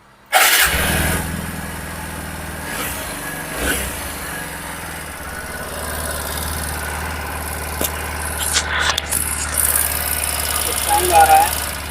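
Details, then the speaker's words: TVS Apache RTR 160 4V at 6,898 km, started and idling: light, quick tapping over the exhaust note; suspected rocker/tappet noise, top cover to be opened to check; rocker arm tappet noise. "इसका जो टाट का sound है या रोकर का sound आ रहा है वह देखते हैं पहले"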